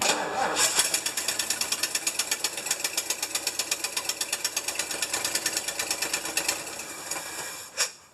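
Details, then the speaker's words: Rescued, long-stored 1975 Lincoln Continental V8 at first start after sitting, smoking from oil and transmission fluid put in cylinders: sharp fast ticking at engine pace, about three per second, then shutdown; exhaust manifold gasket leaks, gap visible. "and we got exhaust leaks galore use some manifold gaskets i can see the gap"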